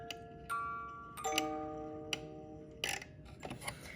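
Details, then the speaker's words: Cuckoo clock music movement: music-box notes with a tick, tick, tick only while the song plays, not from the pendulum, caused by a cracked press-fit plastic gear ticking each time the crack passes. "s it plays hear that ticking tick tick tick it's not the pendulum it only happens when the song's playing"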